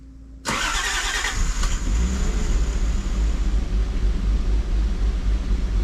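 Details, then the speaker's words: 1987 Toyota Supra turbo, first start after 12 years sitting, fuel system repaired, aftermarket self-learning ECU: brief crank, catches at once, settles into a strong steady idle, running slightly lean. Normal start. "yeah started right up you can tell it's running a little bit lean"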